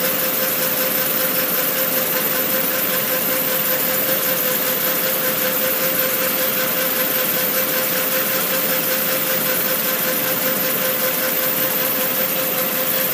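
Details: Yamaha R1 DV (owner's description) making a pulsating hiss at idle, louder on cold start: loud hiss pulsing about twice a second with a thin steady tone, source unclear.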